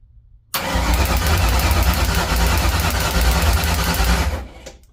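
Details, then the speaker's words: 1979 Mustang coupe with 5.0 swap, first start-up attempt with coil wire unplugged, oil pump primed, no coolant yet: strong, even starter churn about three beats a second for four seconds, no firing; normal, healthy cranking. "seem to be cranking over pretty good."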